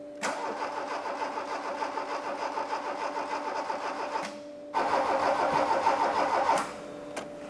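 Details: Barn-find Mk2 VW Golf GTI that sat 20 years, its destroyed engine swapped for another original 8-valve GTI engine; fuel pump replaced, leak found. Fast cranking at about three beats a second with two uneven bursts that stumble and catch poorly but never settle: a janky, reluctant start.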